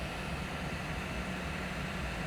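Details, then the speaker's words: AMD Vega 56 graphics card after repair, running in a mining rig with an NVIDIA overclock profile: even smooth airy whoosh with low hum as the fan spins up on command, no rattle or buzz; fan control, display and hash rate working; normal. "but yeah we're definitely getting we're definitely getting our fan controlled properly we're getting a display out and we're getting a hash rate"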